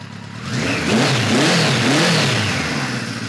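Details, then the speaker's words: 1973 Kawasaki Z1 900 with newly fitted 4-into-4 exhaust and jetting being tweaked, enricher just switched fully off, cold-blooded bike; crisp rev climbing and settling smoothly, all cylinders pulling evenly with a clean exhaust note; runs healthy. "I got a little bit of enricher still now it's off all the way still not bad as you saw before this thing pretty cold blooded"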